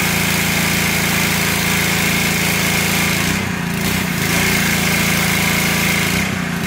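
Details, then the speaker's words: Simpson 3400 PSI pressure washer, Honda GX200 engine, after cleaning the unloader to fix no pressure: steady small-engine drone with brief dips in pitch every few seconds; normal unloader cycling, running smooth. "i can hear the unloader you can hear the change of the engine load and it's going back"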